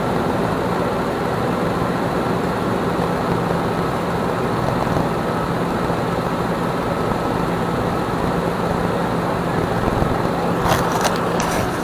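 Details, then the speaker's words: 2006 Nissan Armada 5.6 V8 (body 185,000 miles) freshly swapped and running after crank sensor replacement: an even, steady rumble with no knocks or misses across twelve seconds. Normal idle. "Motor sounds real good though. It's got 185,000 miles on the body."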